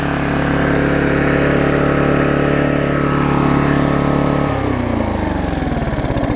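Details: Old Vulcan 18-inch mower, rusted flywheel freed from magneto, new intake pipe fitted, bigger muffler: steady two-stroke drone dropping cleanly to a lower, looser beat when throttle comes off; running properly.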